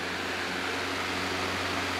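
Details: Emerson 79646AP-G Government Issue table fan, restored, two bronze bushings, on medium speed: constant airy rush with a low steady hum, no ticking, rubbing or wobble; not the quietest Emerson but running cleanly.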